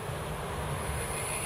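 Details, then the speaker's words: Amiga CD32 CD drive laser unit, ear close to the optical pickup while turning the tracking or focus gain pot off its optimal setting; rough insect-like buzz as the servo coils strain and work harder when out of calibration. "you can hear the sir version of the coils they're having to do a lot more work when you get it out of calibration you know out of optimal setting"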